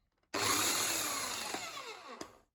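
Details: Bosch AHS 40-24 corded hedge trimmer, salvaged from a skip, dusty, with a crusty blade, as oiling begins: an even, high buzz for about two seconds, winding down on release via the handle safety switch. Normal running.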